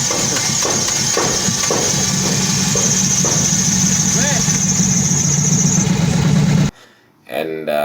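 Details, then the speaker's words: Toyota AE91 project car after replacing a part that made it die: uneven, stumbling, lumpy idle instead of a smooth hum, really misfiring, sounding unhealthy; the head was later opened again to diagnose it. "it sounded quite unhealthy and uh so we tried um diagnosing why the car wasn't wasn't like like running right because if you hear it it was really misfiring"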